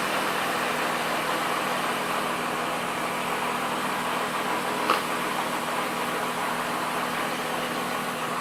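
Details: BMW E36 M3, warm engine at idle with oil pressure of 180 kPa: a steady, even hum of constant pitch with no knocks, misses or ticks. Normal idle.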